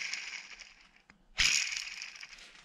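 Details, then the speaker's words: 2010 Ford Fusion: removed belt tensioner pulley spun by hand gives a gritty, high-pitched rasp fading as it slows; worn bearing caused a small clicking at idle and clunking near the alternator, quieter after swapping in a used tensioner. "i hear a little clunking from the alternator area so we're just gonna swap them swap the tensioner and a couple idlers"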